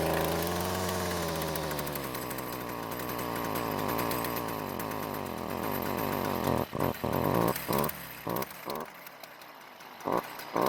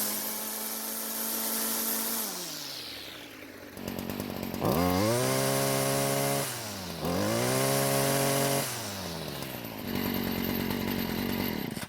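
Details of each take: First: Stihl trimmer before repair: small two-stroke revs unevenly and falls back, sputtering and cutting out without reaching full speed; exhaust spark arrestor screen clogged with carbon, and it runs louder and reaches full speed once cleared. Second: Stihl string trimmer: the engine snaps up to a high, steady scream several times and drops back cleanly, reaching full revs without bogging and much louder as the exhaust flows freely.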